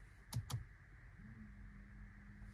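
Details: 2022 Mazda CX-5 at 12,000 miles, lights switched on in the driveway: after a click, a faint steady low buzz holds, possibly from the driver's side headlight leveling motor; the buzz is intermittent and felt in the cabin; a warranty repair was sought.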